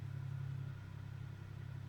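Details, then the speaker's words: 2003 Chevy Impala after running about 5 minutes: steady engine drone sitting at 1300 rpm in drive, too fast, never settling to proper idle; about 1800 rpm in park, 1200 in reverse; throttle body already swapped, cause unknown. "drive sitting at 1300 which it shouldn't be"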